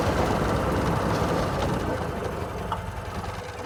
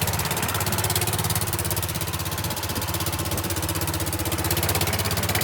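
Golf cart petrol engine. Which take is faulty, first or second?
second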